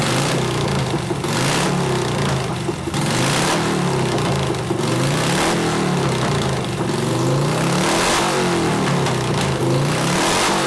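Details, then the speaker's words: 1988 Harley FXR, nearly out of gas: uneven, lumpy revving that surges and sags about once a second on one cylinder. Water came out of the coil plug, causing the misfire. Jetting is possibly a little fat. "plug water came out of coil that's why it started cropping it runs good on one cylinder though"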